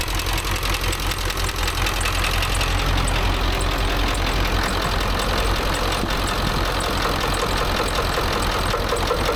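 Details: Ford F350 dually 7.3 Powerstroke diesel after replacing a bent pushrod, second from the back, valves now opening properly: lumpy idle with a loud knock now and then, not every turn; runs much better but occasional knock, cause unclear.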